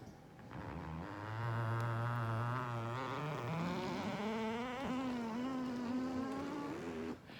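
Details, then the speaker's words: Leather level-recliner couch: a drawn-out groaning creak rising in pitch as it raises from sitting, then stops; the mechanism is creaking, source not identified. "so here we are in conclusion that this is a couch that has problems and the longer that the couch is around probably the more noise is gonna make"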